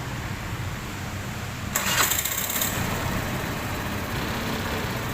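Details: Engine with a hard-start complaint, after an ECU reset and TPS sensor work: engine catches promptly on the first try and settles into a steady, even idle with no misfire or hunting; normal start and idle.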